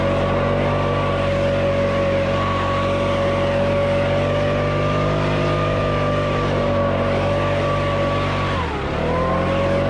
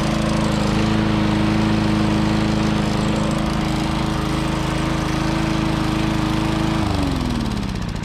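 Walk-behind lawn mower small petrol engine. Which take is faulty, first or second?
second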